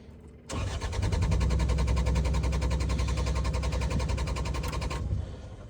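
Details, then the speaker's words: Takeuchi machine after fuel leak repair: starter cranks steadily at about 3.5 pulses a second for about five seconds but never fires; the fuel drained away during the leak, so it cranks without starting. "anymore yeah oh it's out of fuel now it done leave everything it had in it all right so yeah if you notice she's out of field been sitting here this whole time just draining"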